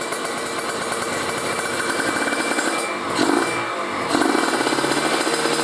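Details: Kawasaki Ninja RR two-stroke, PWK30 carb re-set after fitting ground wire, JJY needle clip second from top, pilot jet 42: crisp buzz at low rpm, slightly rich burble, picks up cleanly; carb tuned right.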